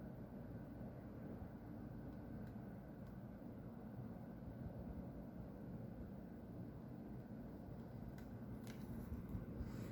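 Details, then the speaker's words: Factory next door to a house, white smoke rising near a tower: constant low distant roar of heavy machinery, no rhythm or change in pitch; source not pinned down. "Eu já havia reparado esse barulho, mas eu nunca parei para observar de onde que é."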